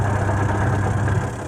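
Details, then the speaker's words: Sanken twin-tub washing machine, pulsator removed for cleaning, then refitted and bolted back; test run gives a steady low motor hum with an even, smooth turn, no scraping or knocking, and the pulsator spins normally after reassembly. "Setelah dibongkar, masih berfungsikah pulsatornya, masih bisakah berputar? 1, 2, 3. Tuh. Oh, masih normal ya teman-teman"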